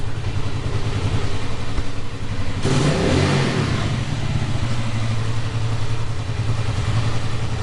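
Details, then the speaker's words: Rebuilt Keeway Superlight 200, kick-started and left running about 10 minutes to charge a flat battery. Single-cylinder thump ticking over evenly, then a clean rev that returns to a steady idle: normal running. "well i managed to kick it over get it started i'll let it run for a 10 minutes charge the battery up a bit"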